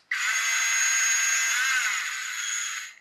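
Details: Brushed RC ESC and motor on its normal battery before the CR2032 coin-cell test: steady high-pitched electric whine for nearly three seconds, smooth and even, stopping cleanly; motor and speed controller working normally.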